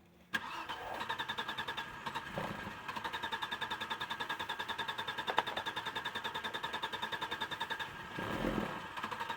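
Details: 1996 Audi 80 Coupe 2.6 V6, parked 15 years: steady cranking at about three and a half beats a second with only brief weak catches when petrol is fed into the intake; won't run on its own.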